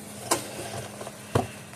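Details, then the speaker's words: Gallagher solar electric fence charger (S10/S16/S20 type) on a 7.2 V bench supply: crisp single clicks about once a second over a faint hum, rate unchanged; the charger is pulsing normally. "no you can't see the light fashion but I don't know if you can hear it clicking or not but it's about the same as it was didn't change anything"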